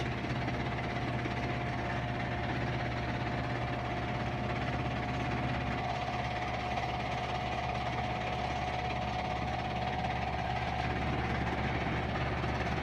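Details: Whirlpool Duet front-load washer spinning a big load; steady high-speed hum, thin constant whine, slight low rumble and slight vibration; normal spin cycle.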